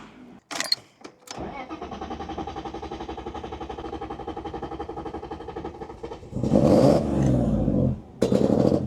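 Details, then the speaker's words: BMW E36 drift car, hard start: engine cranks, catches and settles into a pulsing, slightly lumpy idle before a couple of blips; previously logged cylinder six, cylinder five and random misfires, running rich and flooding, cause not confirmed. "This how it was running yesterday. Cylinder six misfire. Random misfire Cylinder five misfire."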